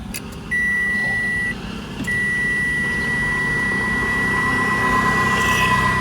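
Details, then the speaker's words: 2022 Mitsubishi Xpander Sport CVT cabin, ignition switched on with startup animation: clean high electronic tone, brief pause, then held steady; normal startup chime. "Nah, ini kalau dimatiin ya kayak gini. Sekarang coba kita nyalakan karena dia masih ada animasinya."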